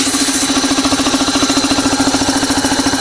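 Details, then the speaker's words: Old home-made air compressor, 5 horsepower capacitor-start motor, tiny tank with recently fixed pressure valve: steady even pulsing near three per second over constant motor hum; running smoothly, building pressure quickly until the pressure valve kicks in. "Builds up pressure really quick because it's a tiny little tank. And the pressure valve kicks in."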